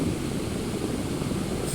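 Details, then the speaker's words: Household electric fan after oiling the motor bearing and fitting new replacement bushings, which cured its wavering loud noise; it now runs with a steady, even bee-like whir, no rattle or wavering — normal running. "مثل ما ملاحظين صار صوتها مثل النحله ما في اي اشكال"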